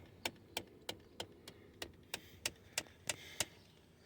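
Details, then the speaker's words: 2017 Ford Expedition: quiet, crisp plastic ticking about three per second from behind the dash whenever any door is opened, engine off; owner identified the HVAC heater blend door actuator, replacement part ordered but not yet installed. "see that it takes every time you open the door AC heater heater blend vent uh uh a Twitter all right just keeps on ticking"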